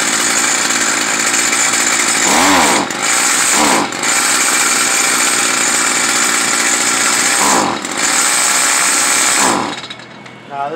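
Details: Stihl FS 55R trimmer, two-stroke, during carburetor adjustment: high-revving buzz sags and dips about four times in ten seconds before dying away; bogs under throttle, adjustment did not cure it, likely needs a new carburetor.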